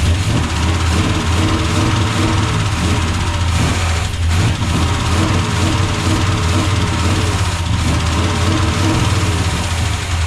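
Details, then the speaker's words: Freshly swapped Gen 6 454 big-block Chevy V8 with hydraulic roller cam in a 1976 C30 dually, just started: deep idle with faint quick lifter ticking and an uneven beat. Owner thinks it may need warming up and oil pressure; gauge shows 60+ psi; idle problem likely carb-related. "Okay, so on the bright side, it does start. Lifters seem a little bit ticky. Might just need to get warmed up, get some oil pressure."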